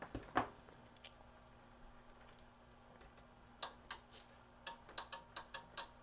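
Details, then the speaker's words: Sony KV-13VM42 13-inch TV-VCR with a no-power complaint: sharp, irregular relay clicks over a faint hum as the set cuts on and off. A connection issue at a board connector is suspected but not confirmed. "I think so you hear it clicking on and off right there"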